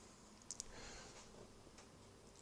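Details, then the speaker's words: Used PS3 with failing hard drive: a pair of sharp, quick clicks then fainter ticks during a backup running slow since 89%; drive suspected bad, not confirmed. "I hear the hard disk clicking every now and then, and since 89% it's been really slow, so I think this hard disk is definitely struggling."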